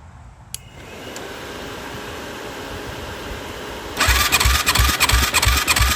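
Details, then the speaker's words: 2007 Yamaha YFZ450 cranking after oil added to cylinder: starter spins freely and fast with weak even pulses about three a second; compression rose slightly then keeps dropping, coolant-wet plug; suspected head gasket and worn rings. "Jumped up a little bit. Not quite all the way I wanted it. Yeah, it's going down lower and lower. Not looking good."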